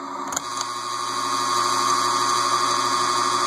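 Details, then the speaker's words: Casablanca Delta II ceiling fan motor on high: steady hum with a faint whine; stiff by hand and stops right away when switched off, indicating bad bearings. "and that's high so you can then look it stops right away so that's indicative of bad bearings"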